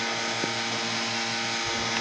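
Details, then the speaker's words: Desktop PC CPU fan at power-on: steady loud hum with a buzzing edge and several fixed tones. Owner suspects a wire touching the fan or a slightly shifted fan causing vibration, and plans restarting 2–3 times. Cause unconfirmed. "ये देखिए दोस्तों, आवाज़ कितनी ज़्यादा"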